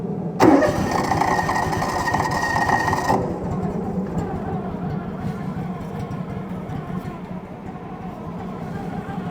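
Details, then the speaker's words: 1996 Argo Conquest 8x8: catches after a short crank, then a slow, lumpy, barely ticking idle; idle set too low, idle screw bumping against the throttle cable. "so we'll start it up and I'll let you hear how this thing is just barely ticking"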